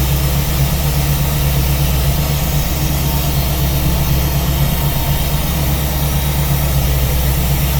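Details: V8 with newly installed Ace's Killshot EFI and Blackjack distributor, timing locked at 15° for setting, at idle: steady even low rumble with smooth lope, no knocks or misses; normal idle.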